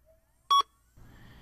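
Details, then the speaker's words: Datalogic Magellan 8100/8200 scanner scale after calibration with the weight removed and platter empty: pressing zero gives one short bright reset beep, followed by a faint low hum. "finally press the zero button again and the scanner will reset"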